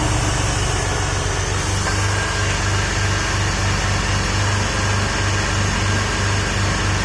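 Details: Porsche 996 first cold start after IMS bearing service and engine reinstall, coolant system pressure-tested leak-free: steady, even low idle hum with no misses, knocks, rattles or smoke; running smoothly and healthy.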